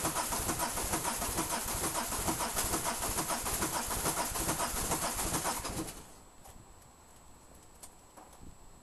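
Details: Peugeot 306 XLdt diesel, hard start: several seconds of even starter cranking with no firing; took five glow-plug cycles before it fired, owner suspects bad injectors; long cranking without firing.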